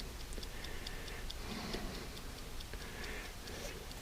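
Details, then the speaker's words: 1969-71 Lincoln Continental Mark III dash clock after service and lubrication, points coming around: faint, even steady ticking in a quiet room; the clock is running normally. "So that's how you service the clock. See, it's coming around. The points are coming around"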